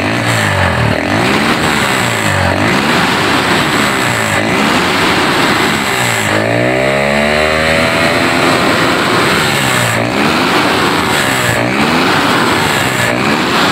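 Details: Honda GL Neotech motorcycle after repair of its stumble under throttle; engine revs up and drops back cleanly in repeated blips, no stumbling or misfire at any speed; normal revving.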